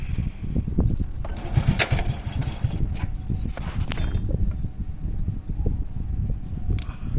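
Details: Honda Supra Fit carbureted motorcycle after fixing a flooding, leaking carburetor, during idle/air-screw setting with all parts fitted: small engine puttering at a steady idle without stalling or hunting.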